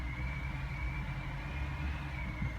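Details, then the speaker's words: 2005 BMW E60 545i, about 60,000 miles, emissions warning on, that sometimes keeps revving with misfire and rough idle; here in the garage a quiet even idle, soft rumble, faint steady whine, no surging; normal idle. "right now it seems fine I'm in the garage so I'm going to turn off"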